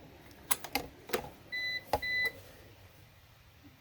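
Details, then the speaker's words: APC BN450M 450VA UPS just plugged in to recharge from fully dead, powering a heater when mains is cut: two short high-pitched beeps a moment apart over handling clicks, an on-battery alarm; power resumes automatically when plugged back in. "okay we got the heater going it loses power"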